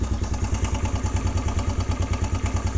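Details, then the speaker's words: Suzuki DR-Z125 single-cylinder idling cold after the cam chain tensioner set screw is reset. Steady, even exhaust thump, much quieter, with no loud top-end clatter. "gas is on dude that's way quieter"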